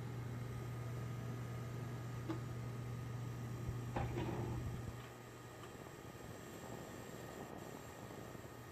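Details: MSI GTX 1070 Gaming X graphics card under load: a faint, steady high tone over a low hum; coil whine.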